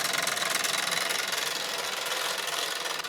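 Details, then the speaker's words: Mamod SE2a model steam engine running again after 40 years, with steam and boiling-water bubbles at the funnel. A steady steam hiss with an even chuff about three times a second. Normal, healthy running. "The engine is running again. That is extraordinary."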